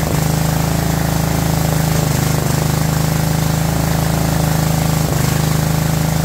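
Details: Abandoned 2004 Murray lawn tractor, Briggs 12.5 HP OHV single, first run: fast steady chug with heavy lumpy low beat, choked and running rich before the flooding problem was fixed and carburetor adjusted.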